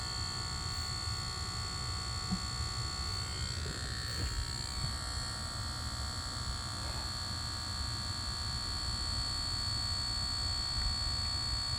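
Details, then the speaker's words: Lucid car with a steady high-pitched electrical buzz over a faint low hum, not changing with anything and still present after a reset; a later reset stopped it. Unexplained buzz from the car's electronics. "I'm doing Bobby reset. Noise is still there."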